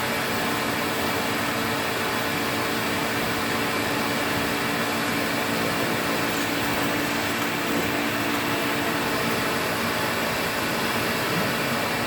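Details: 1986 Electrolux Twin Turbo Z551 vacuum running on carpet: loud motor roar with harsh droning hum; brush roll bearing sits off-centre on a slightly melted thread despite greasing, noisy on wind-down and likely to ruin the belt.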